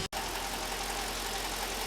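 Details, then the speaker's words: Mercedes CLK 500, 144,895 miles, idling with the coolant cap off while bleeding the system after a coolant leak; steady, smooth idle with a soft, even hiss and no knocks, misses or squeals. "So it's been running for about 15 minutes, cap off, just been bleeding it out. Not pissing coolant anywhere, like still plenty of coolant."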